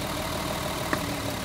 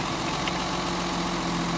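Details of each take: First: Mercedes 280 SE pulled from storage, missing and idling rough: with number six plug lead pulled the RPM drops and engine shakes, smoothing a little when plugged back; low lumpy idle rumble with a sharp clack; number two shows no drop, the dead cylinder. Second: Mercedes 280 SE: number two lead plugged back in after a test pull and the engine smooths out; steady even idle, low rumble, all cylinders firing.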